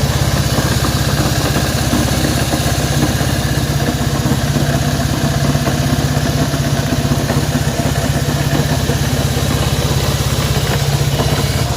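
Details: Honda CB190R: single-cylinder idle at about three beats a second, slightly uneven, with an extra rattly edge over the exhaust thump; strange engine noise, cause not yet identified.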